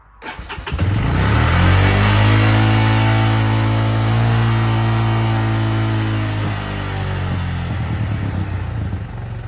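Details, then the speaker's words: 2005 Honda Recon 250 ATV that ran very rich on aftermarket Chinese carb, after cleaning plug, fixing tight cable and fitting stock jet sizes: catches and settles to an even single-cylinder beat, no more lumpy hunting; normal idle. "wow yeah way better way smoother it's not real lumpy and jumpy like it was before"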